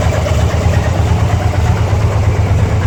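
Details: 2002 Harley-Davidson Ultra EFI Twin Cam at idle: loping V-twin idle with an uneven extra thump about three times a second; strange engine noise, owner cannot identify the cause.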